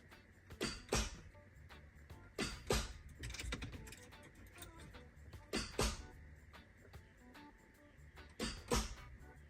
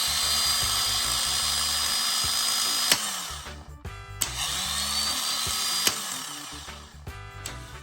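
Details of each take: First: MK3 Toyota Supra 3.0L 24-valve after new starter installed: each key turn gives a click in the kick panel and a distinct click at the starter, then silence with no cranking. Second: MK3 Toyota Supra 3.0L 24-valve, rebuilt starter bench-tested with jumper cables: sharp solenoid clack, high steady spin, clack on release, twice; Bendix snapping in and out freely, normal starter operation.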